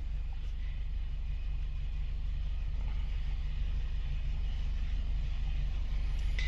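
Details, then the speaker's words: Nissan Tiida four-cylinder with P0300 misfire code and power loss, after repair: even, smooth idle with a steady low rumble, no stumbles or backfiring; scanner misfire count shows all cylinders stable, normal idle. "Pues en este vehículo escuchando Cómo se encuentra el vehículo cómo está trabajando la parte mecánica aquí ya se ve todo más estable"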